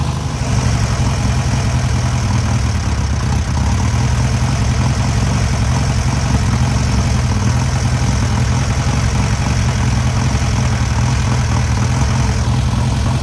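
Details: First start and break-in of newly rebuilt air-cooled VW 1600cc flat-four: smooth constant low chug, steady beat, no ticking or stumbles; normal idle.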